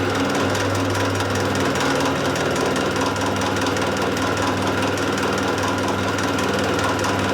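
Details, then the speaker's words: Mill machining squares on a shredder drive shaft: on a half-mil cut, a harsh, rapid gear chatter rattles over a steady motor hum under the heavy, slow cut. "Let me take the full cut. You can still hear the gears chattering."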